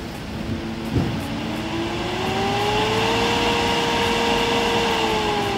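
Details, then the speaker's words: Eberspächer/Espar Airtronic AS3 D2L heater on the test bench, with the ECU suspected defective. During self-test, after a click the combustion air fan whines up over two seconds and holds steady: the fan runs normally, though the pump test then fails. "And we will do a self-test of the heater. Let's see. The fan should start. Okay, you can see the fan is moving."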